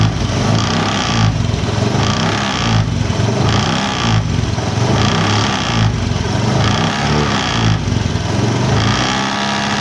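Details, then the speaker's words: Honda Beat FI scooter idling, right side; buzzy uneven "nger-nger" rattle pulsing about once a second, caused by cooling fan cover loose on a worn mounting boss at its bolt. "Oke teman-teman bunyi-bunyi seperti itu itu disebabkan karena cover kipas ini dia aus di kedudukan"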